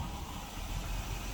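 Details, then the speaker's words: 1976 Dodge D200 truck just after new fuel pump and starter: starts and settles to a low, steady, even rumble with no misses, knocks or ticks; smooth idle, much better than before. "oh that sounds nice that's much better sure did sounding way better"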